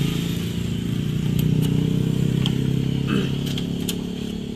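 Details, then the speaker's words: Yamaha NMAX scooter, about 3 years old, rough noisy engine idling: a light uneven tick of about four per second, clearly from the cylinder head, attributed to a worn cam bearing and loose valve clearance. "Suaranya jelas terdengar di bagian kepala."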